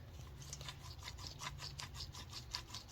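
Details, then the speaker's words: 2010 Mercury Milan (same as Ford Fusion) rear wheel bearing, early-stage failure causing constant humming while driving; old bearing turned by hand gives gritty scratchy rasping, two or three pulses a second. "you hear like this constant humming um usually the wheel bearings"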